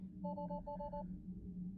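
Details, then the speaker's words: Tesla Cybertruck in Surrey BC after charging problems and a power cycle, showing a low-voltage warning and unable to shift out of park on detected loss of redundancy: repeated double-tone chimes over a low cabin hum. Low-voltage system fault warning. "So here you can see, unable to shift out of park because the vehicle has detected loss of redundancy."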